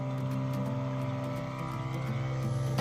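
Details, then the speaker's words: Electric intercooler water pump on a Nissan GQ Patrol after fitting a turbo kit, priming and returning to the tank: steady low hum with a few even tones; pump running and circulating normally, no leaks found. "Sounds like it's priming up anyway."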